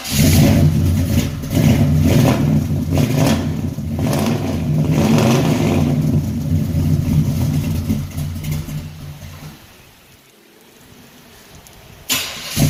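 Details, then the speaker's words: 1974 Chevy Caprice V8 idling smoothly after a cold start following a tune-up and valve adjustment; deep even burble with no stumble, earlier exhaust misfire now gone. Normal idle. "yeah y'all y'all hear that joker running good when when I first got to messing with it it had a misfire in it"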